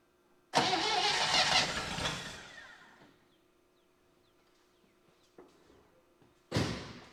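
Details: 1960 Chevy Brookwood wagon V8, sat 20+ years, first start on rebuilt carb and new points, float bowl hand-filled: fires, roars briefly, sags and nearly dies before catching again; owner suspects manual choke starving it, fuel pump not pumping fuel.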